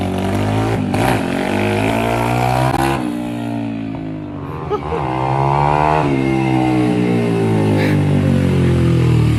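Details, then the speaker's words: Apollo RFZ 150cc with new PE28 carburetor fitted, air filter on, hose trimmed: small single revs up and down cleanly with even firing and crisp throttle response; running healthy before a road test. "La durite recoupée. Ça fait le travail. Je démarre tout ça. Petit essai sur route."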